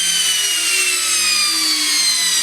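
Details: Samsung washing machine brushed motor that stopped turning during washing, wired directly to mains for testing: steady high-pitched whine with brush hiss easing slightly in pitch; spins freely, brushes suspected worn.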